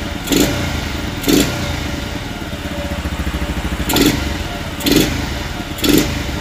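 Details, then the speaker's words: Two-stroke NSR-type motorcycle after overhaul and carburetor swap (old carb hard to tune, stalling, sluggish): crisp idle with five quick blips rising and falling cleanly without bogging; throttle response sharper than before, bike now fine. "So respon dia lagi mengancam daripada yang tadi tu."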